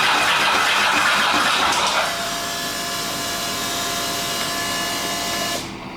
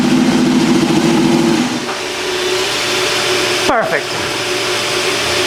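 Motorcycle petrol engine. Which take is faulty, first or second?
first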